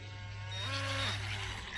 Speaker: there we go hear that beeping noise so there's your lvc alarm and we'll bring it in